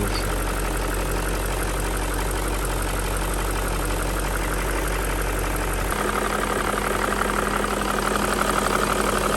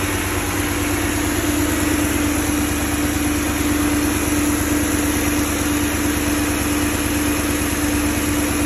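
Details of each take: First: BMW M62B35 V8 at idle after VANOS units were refurbished but installed incorrectly, before reinstallation and timing correction. Steady idle with a light, fast knock riding over it. VANOS knock. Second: Fully warm BMW M62B35 V8 after VANOS units were reinstalled with corrected timing to cure a knock from earlier wrong fitting: smooth, even idle with a faint steady hum, no rattle or ticking from the engine front.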